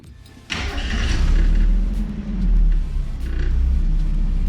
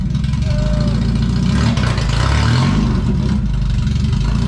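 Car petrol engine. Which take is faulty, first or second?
second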